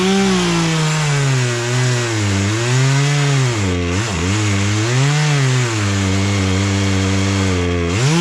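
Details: Poulan Pro two-stroke chainsaw, sat unused about three years, after carburetor adjustment, cutting small logs; crisp howl sags smoothly into each cut and snaps back to high revs; pulls cleanly and runs right.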